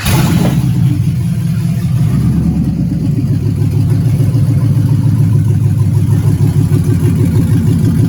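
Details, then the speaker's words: LS Camaro first real start after wiring work, HP Tuners connected showing rpm: deep steady V8 burble at even idle, no misses, knocks or stumbles; normal running. "it's running it's showing rpm"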